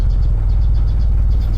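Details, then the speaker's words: Proton Saga Iswara on jack stands, started after sitting and after repairs: steady, even low idle with a smooth pulse, power steering noise now gone; sounds healthy, left to warm up. "not too bad idles quite quite nicely so what I'm going to do now is let it idle let it uh warm up a bit"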